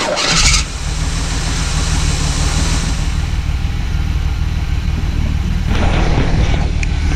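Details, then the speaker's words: 1979 Pontiac Firebird, V6 that sat for years, started on fuel with the carburetor bowl filled, oil checked good: brief crank catches straight away, then a steady, even low rumble with no misses. "figured she'd run because she ran. She started up when we fed her, but I didn't think she was gonna sit there and purr like a kitten."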